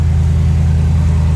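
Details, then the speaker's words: Engine idle after recentering the belt on the tensioner with an aftermarket Ripatuned/Predator pulley that had squeaked: smooth, even low idle with no chirp or squeal. Squeak gone; normal idle. "no more squeak squeak free baby"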